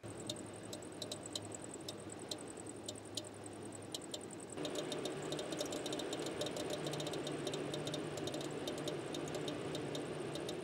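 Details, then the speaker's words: MAXX AirFan Deluxe roof fan in a Winnebago Revel van running: low hum with sharp high chirp about twice a second, worst at low speeds; worn motor bearings (608Z), later replaced with 608-2RS. "the only thing that was a little Annoying is right up here the max air fan and the problem wasn't that constant rattle while driving I make a video about that another time no it was a squeaking noise while it was running"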